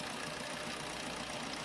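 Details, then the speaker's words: 2018 Swift diesel after fixing misfire on cylinders 1 and 4: smooth, even idle with all four cylinders working, steady AC fan hum over it. "Okay ആണ് വണ്ടിയുടെ miss wear മാറിയിട്ടുണ്ട് കേട്ടോ ഇപ്പോ നാല് സിലിണ്ടറും work ആയിട്ടുണ്ട്"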